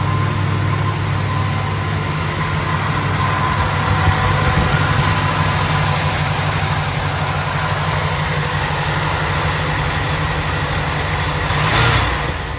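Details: 1976 Oldsmobile Cutlass Salon, original engine with about 54,000 miles and many gaskets replaced last winter, cold start after 24 hours: smooth, steady, slightly raised fast idle with even low rumble, no misses or knocks; healthy, warming up.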